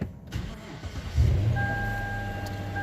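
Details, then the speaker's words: 2009 Lexus LS460 with a no-start and code P0193 (fuel rail pressure sensor circuit high). After the fuel pressure sensor was replaced, it cranks briefly, catches within about a second and settles into a smooth, steady idle: normal start. "سوي تشيك انت شوف 100 سيارة شغل مظبوط الحمد لله."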